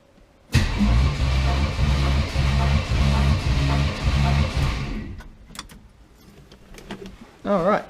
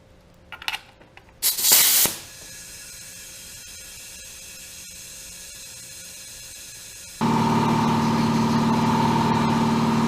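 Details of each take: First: 1980 Camaro 5.7 small-block V8 on compression test after oil leak: even, steady cranking pulses about four a second, no weak beat; healthy balanced compression, readings around 151–160 psi. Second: 1980 Camaro rebuilt 5.7 350 SBC that began pouring oil, leak-down test at 100 PSI, engine off: steady hiss then a louder rush of escaping air as this cylinder reads 65, the bad cylinder; rebuild planned.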